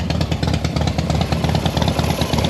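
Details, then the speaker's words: Harley Softail V-twin at idle after push rod work: quick light tick on each lumpy beat, seemingly from the front cylinder or middle; top-end noise owner suspects may settle within 20-plus miles, source unclear. "Um, however, since I just did the push rod, you know, they say that up to like 20 plus miles afterwards, you may get a little top end noise."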